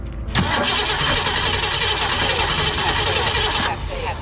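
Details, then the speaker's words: 1965 Mustang with roller 302, $50 electronic distributor and rebuilt Holley 4010 carb, first start after distributor swap: catches then runs with a ragged, uneven beat; timing too retarded, so the distributor was turned clockwise to advance it. "that doesn't sound right maybe I should go more with it at this point my timing was too I had to advance it by turning the distributor clockwise"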